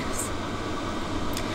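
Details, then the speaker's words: Diesel heater in a DIY van conversion, after a fix for heavy white exhaust smoke: even, steady fan rush with low hum, no surging or knocking; exhaust not blasting white smoke, blowing hot; normal running. "I came back Che out the exhaust is exhausting with zero smoke zero smell and the heater is blasting very hot"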